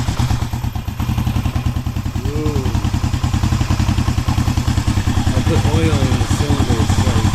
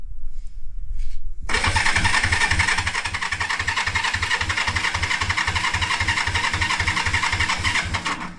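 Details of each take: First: 1973 Honda CB350G on its first start in over 10 years after storage, points cleaned, using choke, leaking carburetor: the twin settles into a low, slightly loping idle with an even exhaust beat and no knocks. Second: 1973 Honda CB350G, unrun for 10 years, new battery, in neutral, choke on, carb bowl leaking: the starter churns at about three and a half pulses a second but never fires; no spark, points cleaned.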